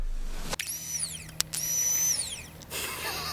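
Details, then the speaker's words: Bench test of a 1992 Volvo 940 GL fuel pump (the under-driver's-seat pump, ordered instead of the in-tank one), with the microphone beside it: short bursts of high whine spinning up, holding, winding down; the pump runs freely, so it isn't the fault. "If we hear it spin, the fuel pump is not our issue."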